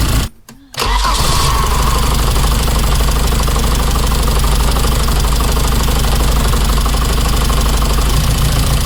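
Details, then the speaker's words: 1987 car starting and idling: catches and settles into a lumpy idle, uneven stumble about three times a second; one cylinder not firing, spark plug or injector suspected, unconfirmed, plugs not removable without special tool. "So this cylinder over here is the one that's definitely not firing at the moment, and whether it's a spark plug or an injector is hard to tell because I can't get the spark plug out."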